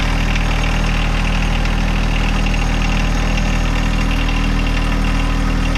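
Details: John Deere 1025R subcompact tractor diesel idling after 200-hour service with new fuel filters and primed fuel system; steady low chug, smooth regular firing, no misses or knocks; normal idle.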